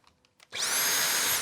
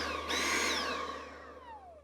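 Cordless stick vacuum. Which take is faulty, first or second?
second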